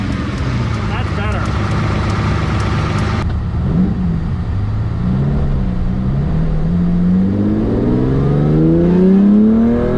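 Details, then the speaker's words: Ferrari 365GTC4 carbureted engine after carburetor cleaning fixed non-functioning accelerator pump jets and a fuel leak was tightened: crisp blips climb smoothly and drop back cleanly, strong even note, no hesitation; snapping may be alternator plastic belt; healthy free revving. "that's a good sound C4s always have a great sound this one's so much more this one's definitely got the C4 sound"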